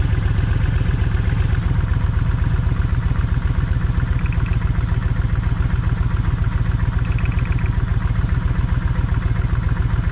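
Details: Kawasaki Vulcan 1600 V-twin, low lumpy idle with uneven pulses and occasional skipped beats; left cylinder's plug stays wet. Owner tests plug wires to tell bad coil from bad wire; still no difference.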